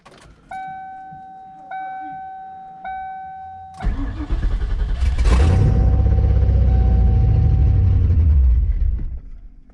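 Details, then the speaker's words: 1995 Ford Mustang GT just after O2 sensors were fitted: door chime, then it cranks and catches into a choppy, pulsing idle that drops to about 1000 rpm and chops; owner suspects a vacuum leak. "nope and it looks like probably nothing's change this is how it usually idles whenever it call coms down it'll it'll go down to about a th000 and then just sit there and chop"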